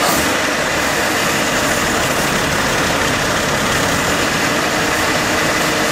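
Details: Warm AMC Eagle engine with a newly fitted carburetor and the electric choke possibly installed backwards. A fast, steady, even roar that never drops to a slow idle; the owner suspects the choke stuck on and a vacuum leak at the intake manifold, unconfirmed.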